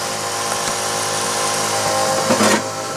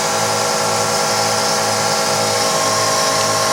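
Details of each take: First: Twin fuel pumps on a twin-turbo 5.2 Magnum build running after fuel pressure was adjusted from about 20 psi to 58 psi at the regulator set screw: constant high electric whine, no surging or rattle; normal fuel pump operation. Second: Twin-pump fuel system on a twin turbo 5.2 Magnum build, pressure raised from about 20 psi by tightening the regulator set screw, target 58 psi; steady high electric pump whine with fast pulsing ripple, note changing as pressure rises.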